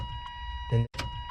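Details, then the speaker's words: 1994 Chevy C1500 OBS with a 6.0L LS swap, new fuel lines, key cycled before first start. Steady faint electric hum with a click partway through; fuel pump is priming normally. "I want I want to see if I hear the pump. >> Yeah, it's working. It'll start."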